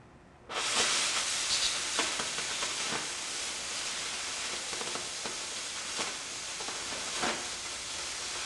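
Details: Oxy-fuel cutting torch with preheat turned down low on an already hot, clean piece: steady hiss with crackle and only a faint flame roar; a cut is possible but forces slower travel.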